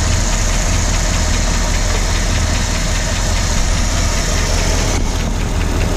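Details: 1965 Ford Galaxie 352 FE V8 idling after startup: even rumble with a fast light tick keeping pace with engine speed; ticking being traced, cause not yet found.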